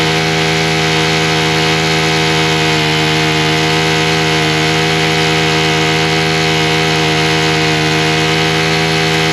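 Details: Husqvarna straight-shaft two-stroke string trimmer, primed, run at half choke with throttle: steady high buzz at even speed, no surging or sputter. It runs cleanly; the owner still suspects the gasoline, which shows trash and possibly some water bubbles.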